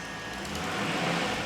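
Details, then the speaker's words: Rover 4.6 V8 petrol running smoothly in an engine test cell, note rising slightly with revs; a rattle comes from the exhaust extractor pipe. Lambdas, throttle position, fuel pressure and thermostat verified correct. "so one happy engine obviously we've bench run it we know lambdas are working"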